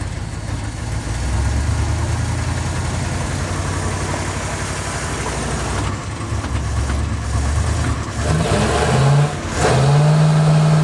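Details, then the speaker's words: 1951 Ford engine blipped at idle: revs climb slowly and unevenly instead of snapping up, though these engines normally rev instantly. The owner suspects timing or a restriction; not confirmed. "So that sounds to me like timing or something restricted. So we'll do that. These things, from my recollection, these things usually rev up really instantly and really good. Not mine though."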